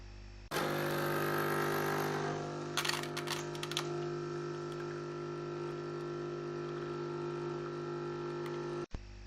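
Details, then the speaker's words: Nespresso Pro ES80 brewing a double shot with a Nespresso capsule: steady pump hum with the characteristic capsule crackle a couple of seconds in as water pressure builds, then an even run; normal brewing. "donc c'était un double shot nespresso vous avez entendu le fameux craquements de la capsule nespresso"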